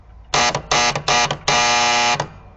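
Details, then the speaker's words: 1967 Williams pinball score reel number one with a new coil, triggered manually bypassing the relay: harsh metallic buzz in bursts, then a long bite as the reel steps; caused by worn plunger stops, fixed by moving, shimming and replacing stops. "I tried jumper ring the coil from number one to number three and it made no difference number three was still nice and quiet number one was still angry"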